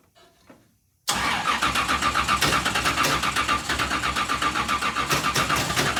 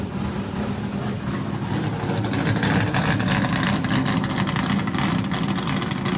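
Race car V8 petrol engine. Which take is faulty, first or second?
first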